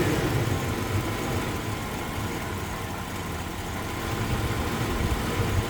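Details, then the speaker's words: 1999 GMC Sierra V8 on cold startup, rough uneven idle with lumpy low thumps; scanner shows intermittent misfires on cylinders 8 and 4 across both banks, caused by a leaking intake manifold gasket, later removed, cleaned and replaced. "It's saying that number 8 and number 4 have misfires, not constant misfires. Yeah, I feel the misfire."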